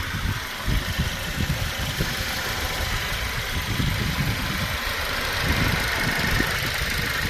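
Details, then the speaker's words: Mercedes-Benz C250 W204 first start after timing chain replacement, restarted after topping up power steering fluid that had been empty: even, steady, smooth low idle with no rattle or tapping; normal idle. "Now we're gonna start up again. Okay, start up again. That's much better."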